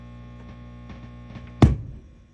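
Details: Mesa Engineering Triple Rectifier Solo head that also won't switch channels makes a steady 60 Hz mains hum with a buzzy edge. It changes with the send loop control and goes away when preamp tube V2 (possibly V3) is pulled.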